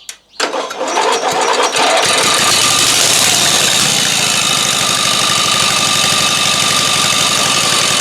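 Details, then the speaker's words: Newly fitted used 12.5 HP engine on the Shark, started after the stuck carburetor float and needle were freed. The air filter is off and there is no exhaust pipe. It catches straight away and settles into a loud, crisp, steady open-exhaust rattle of about four beats a second, starting and running well. "Là c'est un moteur qui démarre bien Là j'aime bien Là ça me plaît"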